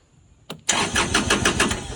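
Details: 2022 Kubota L2501 HST diesel tractor cranks but won't start. It has fuel and the safety switches work. After a click, the starter turns the engine at a quick, even beat but it never fires. Cause: poor connection at the fuel shutoff solenoid.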